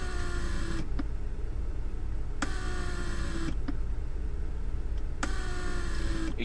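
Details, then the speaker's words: Mercedes central locking/seat pneumatic pump with lumbar support activated: pump hums about a second, stops, restarts every couple of seconds, cycling because a leak in the seat lumbar supports prevents holding pressure. "I have a leak here going on so and that's bad for the pump you see how it cycles"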